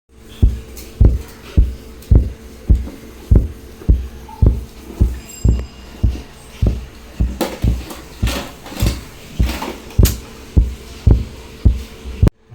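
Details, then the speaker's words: 5.1 home theatre with a tap-tap knocking from the speakers while all the lights blink: dull low thumps repeating evenly, under two per second. The power supply is cycling on and off because of open feedback resistors. "ഇപ്പോ ഈ കാണുന്ന home തിയേറ്ററിൽ ഇപ്പോ ഇങ്ങനെ ടപ്പ് ടപ്പ് ടപ്പ് എന്നൊരു sound ഇങ്ങനെ കേൾക്കാൻ സാധിക്കും അതുപോലെതന്നെ എല്ലാ ലൈറ്റും കൂടി ബ്ലിങ്ക് ചെയ്യുന്നത് കാണാൻ സാധിക്കുന്നുണ്ട്"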